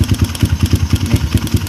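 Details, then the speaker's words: Kawasaki KLX150 fitted with a PWK carburetor, at idle, noisy mainly when cold: a regular light clatter of about eight taps a second over a lumpy single idle. The carburetor slide rattles, with a weak slide spring or worn piston suspected. "Nah, jadi suara pada piston karbu PWK itu aku saya rasa pernya lemah, per pada karbu ini. Jadi sehingga ketika dia posisi langsam, jarum itu goyang-goyang naik turun gitu."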